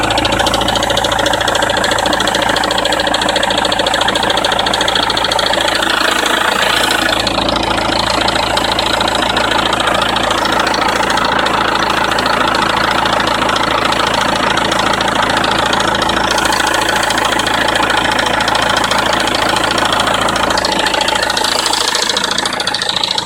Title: BMW E90 320d M47 rattle noise cold start